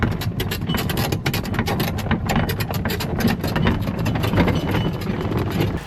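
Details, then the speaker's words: Coleman golf cart driving over bumps: sharp, irregular bursts of clatter over low road rumble as the roof bounces against its metal frame at metal washers and nuts; fix is rubber washers between roof and frame. "Now all that rattling happens because this roof is mounted to this frame with a bunch of metal washers, metal nuts, and when the roof kind of bounces against the metal frame, that's what makes most of the racket."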